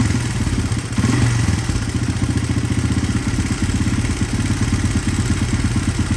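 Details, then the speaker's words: 1983 Honda XR200R, revived after years sitting, running outside with fresh gas: even single-cylinder thump at a raised idle with light valve chatter, considered normal. No smoke; healthy. "Had to turn that idle up a little bit there. No smoke. A little bit of a chatter, but that's I think just the valve."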